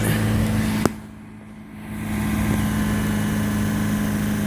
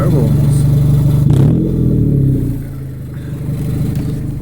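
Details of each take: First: 2000 Honda Civic after replacing the rusted resonator (B) pipe with a new one-piece pipe, gaskets, bolts and springs. Low, smooth idle with a quiet, even exhaust note, no rasp, puffing or leaks. Normal idle after repair. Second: 2000 Honda Civic: rusted resonator (B) pipe broke off below the cat/header unit. Loud, raspy, almost turbo-like roar rising and falling with each rev. Exhaust leak from the broken pipe, before replacement.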